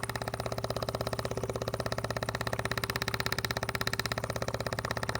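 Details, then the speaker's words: Maxpeedingrods extended run time electric fuel pump feeding a portable generator from an external gas tank, microphone held very close, green light steady while pumping; quick, light, even ticking over a low hum, quiet at arm's length, normal pump operation. "It's not very loud at all in real life. I don't know what it sounds like on video, but it's just a light ticking noise in the background is all I hear at, you know, arms length."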